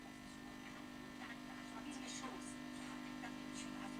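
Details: Grundig SVR4004 Super Video Recording VCR under repair: steady low mains hum drones through the audio output with no programme sound, only faint chirps now and then; sound appears briefly when switching to play, and a fault in the audio board or mute mode is suspected.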